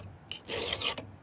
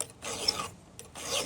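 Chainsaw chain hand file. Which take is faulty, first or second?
first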